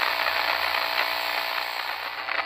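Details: RCA 8-X-541 radio after recapping and replacing out-of-tolerance resistors, heard via signal tracer at 12SK7 plate: steady hiss with irregular crackles and pops.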